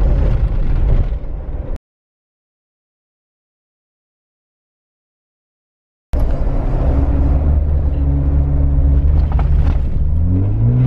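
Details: Jeep Wrangler Unlimited 4-door 3.6L V6 with Magnaflow 15117 exhaust, in-cabin recording: deep steady rumble rising under acceleration, no rattles after new tailgate installed.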